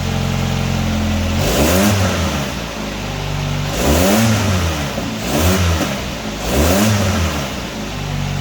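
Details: 1999 Nissan Sentra 1.6 after an EGR delete and new headers were installed: repeated throttle blips rise and drop back cleanly with no ticks, rattles or misses. Much quieter than before the repair. Normal revving.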